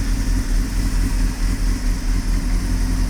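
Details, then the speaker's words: 1998 Honda CBR600, slow to fire, carbs possibly needing sync: warm idle with a low drone surging and dipping about 1.5 times a second; rough idle, owner suspects lean condition, smooths slightly with a touch of choke. "so it runs but it has a little bit of roughness to it and I think that is because of a lean condition"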